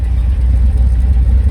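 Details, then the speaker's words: Finished GMC Sierra V8 with a cam, stock factory exhaust with large muffler and resonator, outside clip: heavy idle with uneven, choppy lope and pulsing exhaust, slight shake; cammed idle lope. "can tell it's camed you actually look at the it's got a little shake to her"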